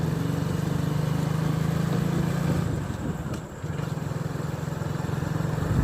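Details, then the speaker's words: Hero Glamour BS4 single after full engine rebuild of a seized engine, ridden a bit faster, all gears engaging smoothly: steady low drone with even firing, no knocks or rattles; mechanic says it is set perfectly, much quieter; healthy. "బండి అయితే పర్ఫెక్ట్గా అయితే set అయిపోయింది friends. బండి అయితే smooth అయిపోయింది. అప్పటికిప్పటికైతే చాలా sound అనేది చాలా తక్కువ అయిపోయింది అనమాట."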